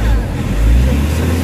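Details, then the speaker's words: Nissan NV350 Urban Premium diesel van, treated with XADO for low power and throttle delay; deep, even drone while revving, no roughness or surging. Engine now smoother and quieter, no longer hissing or running wild as before. "So iba na yung under kasi kanina, medyo smooth na yung under niya. Tsaka kung papakiramdaman mo yung engine RPM, medyo smooth na yung under ng engine, hindi na gaano nagwa-wild."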